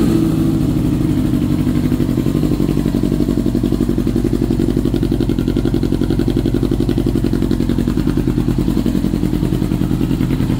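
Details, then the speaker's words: 2000 Yamaha R6 after carb cleaning and sync, idle set as low as possible, in neutral, air screws fully closed; fast even idle stays high and slow to drop. High hanging idle. "ya la aceleración está a todo dar acelera bastante bien pero batalla para mantenerse tranquila Por decirlo así"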